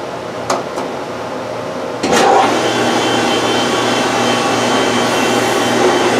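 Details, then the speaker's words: Rikon 12-210H jointer/planer planing a board after re-tightening the slack infeed roller chain idler that had caused popping and skipping: a couple of clicks, then a steady motor whir as the board feeds evenly with no popping or slipping. "well that worked really well that's actually the best in free performance that player has had in a long time for like two years now"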